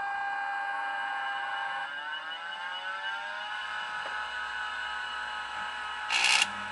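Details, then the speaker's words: Internal MFM hard drive in a Macintosh 512K at power-on: steady high whir drifting slightly in pitch, with no head-seek clicks. It is spinning, but it's unclear if it's healthy. Health unclear. "I don't know if that's a healthy sound but it's definitely spinning"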